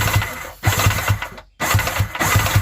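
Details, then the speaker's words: Yamaha Waverunner XL800 two-stroke engine, being cranked on the starter in two short bursts during teardown: dull, regular low thumps about four to five a second. The owner suspects a loose connecting rod in the back cylinder; unconfirmed. "do hear something knocking a little bit huh well could be worse i guess we'll see i'll be able to see the connecting rod and see if it's loose it sure sounds like something's a little sloppy in that back cylinder"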